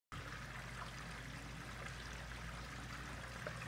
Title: How can a quiet that gurgling noise down